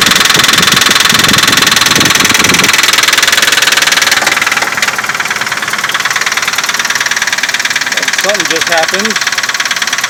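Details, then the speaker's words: 2004 Nissan Pathfinder, odometer showing 14,000, started with hood open after sitting about 2 hours: hard, fast, regular knocking over the idle; source uncertain, not yet pinned down. "Today's March 13th, 2017. We got this really bad knocking noise in the engine."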